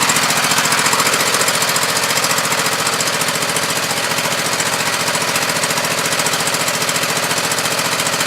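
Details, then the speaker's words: Husqvarna YTH2448 mower, 24 hp Briggs V-twin, spark plug leads checked with insulated tool; lumpy chuffing about three to four pulses a second, one cylinder sounding dead or low; new plugs fitted, cause not confirmed: misfire. "as you can hear not much difference there's a hair different but the silliman is obviously very dead or low"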